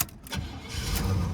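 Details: 1985 Oldsmobile Toronado Caliente, low-mileage survivor at 46,137 miles: brief crank, then it catches straight away and settles into a smooth, steady low idle. A healthy start.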